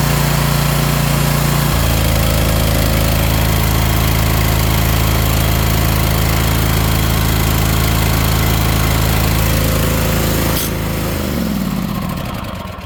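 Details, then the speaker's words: Ariens Apex mower with Kohler 7000 series twin, 238–239 hours, oil checked, owner reportedly changed spark plugs and fuel filter: lumpy uneven beat about three pulses a second, chuggy rumble before shutoff; one cylinder not firing. "Oil. Yeah, we checked oil. It almost sounded like one cylinder was out."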